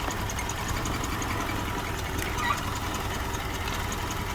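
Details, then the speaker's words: Car engine shaking violently at idle before a scan-tool check: uneven, lumpy idle with shaky low rumble and occasional stumbles; suspected misfire, MAF sensor, vacuum leak or dirty filter, not confirmed; rough idle. "Let's scan this car and know why this engine is vibrating vigorously like this."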